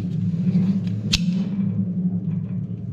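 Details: Mercedes B-Class Electric Drive (Tesla-built motor), gearbox removed and turned slowly by hand on the table: low, steady droning rumble with one sharp click from a worn bearing in the reduction gearbox.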